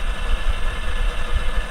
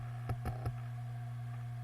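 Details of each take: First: Failed Western Digital Green 1TB WD10EADS hard drive from a My Book USB enclosure, about seven to eight years of power-on time, running opened: rough, uneven low rumble with irregular thumps; head or spindle fault, undetermined. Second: Western Digital Green 1TB WD10EADS hard drive from a My Book USB enclosure, about 8 years old, powering up: steady spinning hum with three quick head clicks then one more; normal startup, though it later clunks while running.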